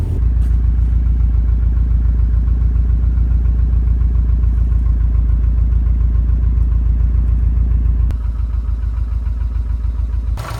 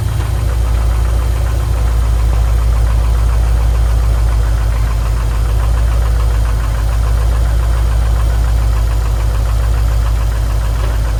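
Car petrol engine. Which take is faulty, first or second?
second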